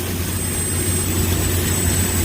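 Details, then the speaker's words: Corn grain dryer gas burner running at a fairly good speed with dry corn: steady deep roar, low rumble and faint high whistle, no surging or popping; the valve constantly adjusts the flame to hold temperature, operating normally. "The valve here is constantly adjusting the flame. Up there it's bigger to keep the temperature right inside there."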